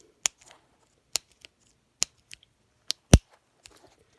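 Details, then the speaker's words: Early-1990s Shimano Deore LX 7-speed Rapid Fire thumb shifter, just reassembled with nut and spring in place, greased, before more grease is added. Crisp single clicks about once a second as the lever is worked, each detent clean; indexing properly. "kinda hard to do this with that mic greasy hands but you can hear it clicking and you know it's a good sound a good sound"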